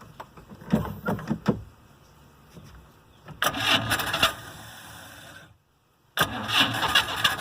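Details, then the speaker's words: 1997/98 Sea Ray with Mercruiser 3.0L four-cylinder after head gasket replacement, first test run out of the garage: a few cranking bursts, then it catches into a steady, even idle with no knocks or misses; up and running. "Alright, so we're up and running."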